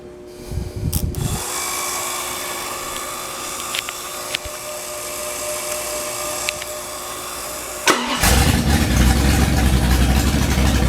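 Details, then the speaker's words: Freshly rebuilt 1970 340 V8, .030 over, 10.2:1 pistons, Comp cam 525 lift 289 duration, Edelbrock LD 340 intake, J heads with 2.02/1.60 valves: electric water pump hums, engine fires about eight seconds in and settles into a lumpy, cammy but even idle. "This is 1970 340 rebuilt, 30 over, 10.2 to 1 compression pistons. Comp cam, 525 lift, 289 duration."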